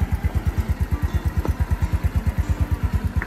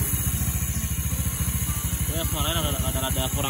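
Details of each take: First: Yamaha Mio Nouvo scooter after restoration, freshly started with new oil and cover not yet fitted: even, steady idle thump about three beats a second with no knocks or rattles; engine runs smooth. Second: Restored Yamaha Mio Nouvo scooter at idle with the front cover open; a fine rattle rides on the firing beat, fades when revved and returns as revs drop, from a noisy one-way starter clutch that quiets a little with lubricant.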